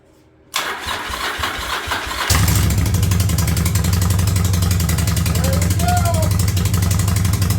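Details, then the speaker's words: 1985 Yamaha Virago V-twin with a single-carb conversion using a carb from a Yamaha 1100, first start, cold, on choke: short crank, then it fires and holds a fairly even, lumpy idle. It runs fine. "well she's up she runs she sounds good I got her dialed in at about a th000 RPMs"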